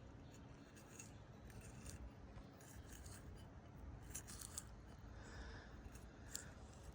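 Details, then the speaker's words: Chevy OBS smog pump bypass idler pulley, removed and hand-spun, gives dry gritty rasp; back seal compromised, bearing to be replaced and pressed in; gritty idler pulley bearing. "See right here? The back seal's been compromised. So, I'm going to order a new bearing and press it in."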